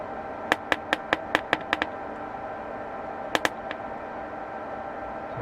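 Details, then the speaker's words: 1948 Radio Rentals Model 60 valve radio, powered up with minimal work before the grid coupling capacitor is replaced. About eight sharp, uneven crackles come over a quiet hum from the audio output. Cause still unknown. "all right those little crackles now"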